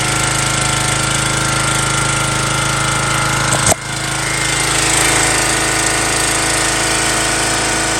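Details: An MTD Yard Bug riding mower that sat for years fires after a spark check and a little added gas. It gives a loud, steady single-cylinder clatter with one brief bump midway and keeps running.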